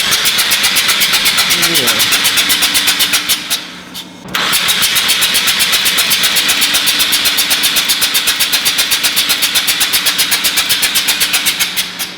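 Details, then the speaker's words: Mazda RX-8 13B rotary, flooded, second day de-flooding: clutch in, throttle floored, cranking fast and evenly without catching to clear excess fuel. "but the goal is to get all of that excess white stuff out of there should be clear so it might take several tries yeah so clutch in and throttle all the way press down as well go for it"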